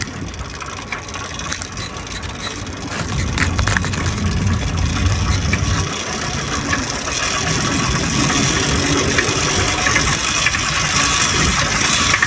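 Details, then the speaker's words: Restored motorized bike/moped two-stroke after clutch rebuild and new spark plug, third start attempt of the day; quiet cranking, catches around three seconds and settles into a steady busy buzzing run, normal running. "And just like that, on the third try of the day, at about the third attempt starting it, it came to life."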